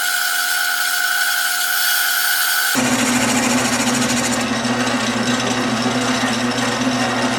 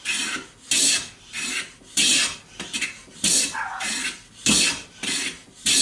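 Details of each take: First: Lathe turning the knob for a Stanley No.6 plane: steady hum, then rough buzzy cutting rasp as tool chatters; suspected workpiece deflecting at unsupported end, tailstock brought in for rigidity. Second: Stanley No. 6 hand plane with new handle and knob: regular rasping strokes just under one a second, each a crisp even hiss with no chatter, taking clean shavings.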